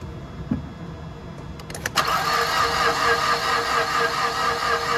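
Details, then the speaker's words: Mazda recovered dead with no ignition, battery voltage dropping below 8 volts while cranking: sluggish uneven cranking into a steady whirring that never catches; no power at engine ECU, slow crank no start from low battery. "As you can hear, our vehicle won't start, and the reason for that is we've got a voltage drop less than 8 volts."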